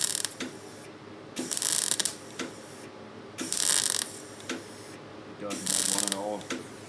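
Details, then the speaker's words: MIG welder with the power set too low: an uneven crackle in short bursts about every second and a half instead of a steady sizzle as the wire sputters, giving no penetration. "It's very unhappy. He was not happy. Yeah. I hope you can hear it. It didn't sound very good."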